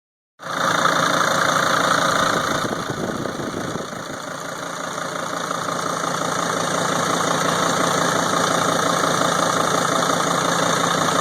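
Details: 2003 Sprinter diesel at idle: even clatter with a regular tick about four times a second, knocking and ticking louder than normal; cause unknown.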